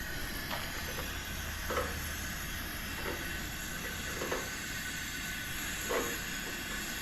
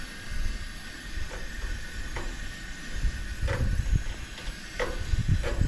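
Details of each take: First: Coleman camp stove, garage-sale unit never started before, first burner with valve fully open then turned down: steady hissing roar with occasional soft pops; flame still somewhat yellow-orange with blue present; burning normally. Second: Coleman camp stove, garage-sale unit never started before, first burner lit: soft steady hiss with low rumble and faint irregular pops during roughly 1-minute warm-up before adjusting the valve; warming up, not yet burning cleanly.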